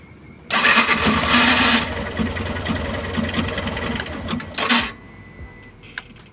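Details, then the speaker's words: Yamaha Fazer 150 motorcycle: harsh rough grinding rattle while cranking, initially thought to be engine; cause a faulty starter motor, repair attempt failed, replaced with new starter. "Daí deu para ver que o barulho tava bem feio e então eu já ia começar a desmontar para poder fazer o reparo dele."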